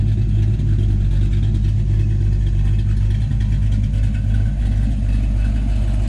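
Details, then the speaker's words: 1984 Mustang GT350 carbureted 302 V8, cold, after installing a catch can and rerouted PCV: starts right away into a deep, steady burble, even and regular with no ticks, knocks or hunting; healthy. "is still cold, but I mean, it started up right away. It's running nicely. Sounds good, sounds healthy, and it looks good."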